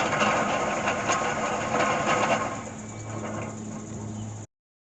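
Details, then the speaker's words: 1976 Chevrolet Malibu Classic Estate engine running after long sitting: light, uneven ticking rattle about twice a second from the front accessories; owner suspects the water pump, not confirmed. "It has, however, been sitting for quite a while due to a number of leaks and a noise that sounds like it's coming from the water pump."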